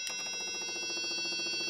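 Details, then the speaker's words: Datsun 240Z project (680) fuel pump powered by probe: earlier loud noise was pump running dry; now steady high-pitched hum with fast even pulsing, no rattle, moving fuel; normal fuel pump operation. "much quieter now you can hear it's actually pumping fuel so it's doing its job"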